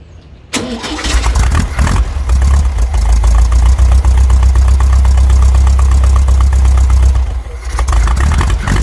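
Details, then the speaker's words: VW Brasília (Fusca-type engine) just converted from points to a cheap Chinese Hall-sensor electronic ignition distributor: cranks, catches and settles into a low, slightly irregular idle near 600 rpm, cold, timing not yet set; windy outdoor microphone. "the car started I had to turn it around turning around until it reached a point and it stayed on I tried to adjust the setting more or less"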